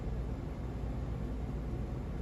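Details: 42-inch white Hampton Bay Grayton ceiling fan running on high: even whoosh of moving air over a low hum, no ticking or rhythmic wobble; runs smoothly with little wobble.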